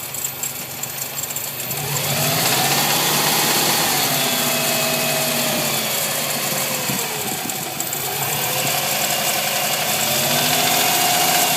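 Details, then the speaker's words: 2000 Subaru WRX STi boxer engine idling: fast, fairly regular ticking over a busy, hissy running sound; owner describes it as engine knock. "I'm making this video for my pops back home so we can hear the ticking of my subu STI 2000 so let's start her up"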